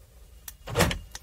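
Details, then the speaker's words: Three quick clunks, the middle one loudest, as the central lock actuators cycle normally and the indicators flash. This is on a Tata Safari Dicor 2.2 with a no-start/immobilizer fault after the remote unlock button is pressed to release the immobilizer. "and here we can see guys something happened so the indicators of the car flashed uh sometimes the locks will reset"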